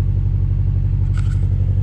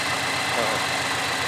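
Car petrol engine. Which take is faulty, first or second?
first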